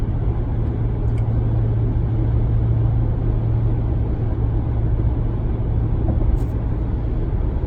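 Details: 2019 Ram 1500 at cruise in 8th gear: steady deep low hum under road noise, unchanged with MDS; sound amplifier replacement reduced occurrences and volume but drone persists; cause undetermined.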